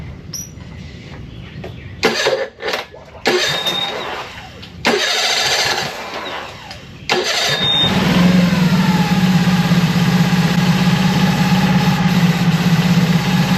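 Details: Mercury 25hp four-stroke EFI outboard after idle air control solenoid replacement: several short cranking bursts before it catches, then uneven idle while warming; struggles to start and hold idle, replaced solenoid apparently not the problem, cause unknown.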